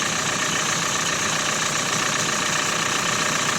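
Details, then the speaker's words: Renault Megane 4 1.5 dCi diesel idling after an experimental fix of the knocking crankshaft damper pulley, phone recording: steady idle with only light injector rustle, no knock or rattle from the front pulley; sounds healthy. "А сейчас вот здесь как телефон передаёт, не знаю, но шелестение двух только дизеля. Никаких посторонних супор."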